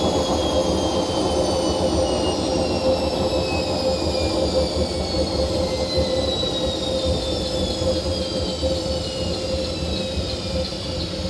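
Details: Hotpoint First Edition washing machine spinning at 1200 rpm: a loud, constant roar with a steady hum and falling whine, from worn drum bearings.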